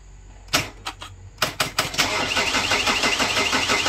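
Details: 2008 Chevrolet Captiva diesel, hard to start hot or cold, smoky, no power, capped at 3000 rpm, before cleaning; engine shakes, suspected broken engine mount: several cranking bursts then fast, rough, uneven chatter; hard starting.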